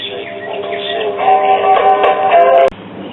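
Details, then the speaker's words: Possibly never-used 1960s Telex-Phonola record player; music thin and raspy with a buzzy, muddied edge on louder notes; playback distortion, warped speaker cone suspected, amplifier and speaker not yet checked. "because that distortion sort of sounding like a warped speaker cone"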